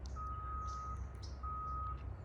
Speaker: and do you also hear that beeping sound of this vehicle that is moving backward that has that kind of alarm beep